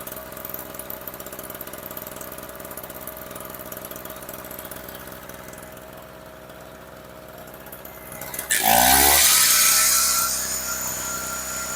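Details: Storm Cat 700W two-stroke 63cc generator after repair, run on 40:1 fuel mix (spec 50:1), a little smoky: idles with a quick, even putter, then picks up to a louder steady buzz; running fine.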